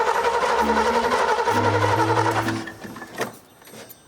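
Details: 1982 GMC C10 square body sitting 25 years, fitted with a homemade propane engine setup: the starter churns at about four beats a second but it never catches; cranks but won't start, possibly not enough propane, cause unconfirmed.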